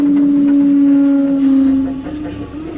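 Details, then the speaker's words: 1982 Ford Bronco rear window after motor replacement: steady motor hum holds about two seconds, then sags and drops out while lowering, fine going up; ungreased spring constricting suspected, to be greased. "All right, that sounds like the spring is just constricting, which I did not grease. So I'm gonna put a little bit of grease on the spring. Going up's fine, just the going down."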